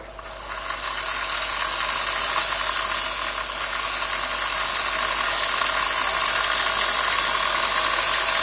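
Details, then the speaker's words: BWS 230 motor run on a bench supply, voltage being raised from about 7 V toward 12 V: an even, steady high whirr with only light gear hum and no catching or brush sparking, a smooth normal run; sparking appears near 20 V. "se aude că nu face zgomot nu agață doar angrenajul ce face puțin zgomot"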